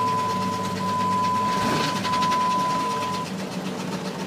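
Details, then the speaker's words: 2000 Jeep Grand Cherokee 4.0 inline-six with 262,803 miles, described as blown up, catches and runs roughly with an irregular lumpy beat and a steady chime; owner unsure whether the head is actually blown. "is trying to run. Maybe the head's not blown after all. Not sure here. Doesn't sound good. He's trying."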